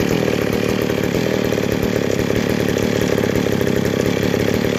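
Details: McCulloch 797 chainsaw after converting to a Stihl 090 Tillotson carburetor, idle not yet adjusted, test run outside: steady high buzzing two-stroke drone holding even speed with no surging or misfire; runs cleanly.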